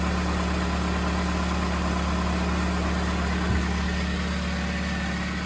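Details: 2005 Chevy Malibu 2.2L four-cylinder, over 250,000 miles, first start after head gasket replacement on the old, rough spark plugs: low steady hum with an even pulse, no stumbles or ticking. Normal idle.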